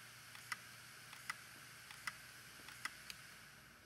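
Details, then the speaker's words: Failing Samsung Barracuda hard drive (Iomega) powered up with its cover off: it spins up with a faint hiss and sharp, irregular ticks about once a second as the crashed head scrapes the visibly damaged platter. "gets up to speed looks like that head is definitely been scratching things around a bit kind of reset and then we'll see what happens"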